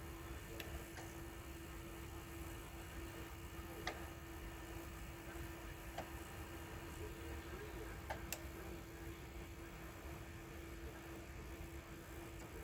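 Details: Sony EDV-8000 deck with a TDK tape, during playback and fast-forward: faint, irregular sharp clicks every few seconds over a quiet mechanism hum; the takeup reel is not turning freely.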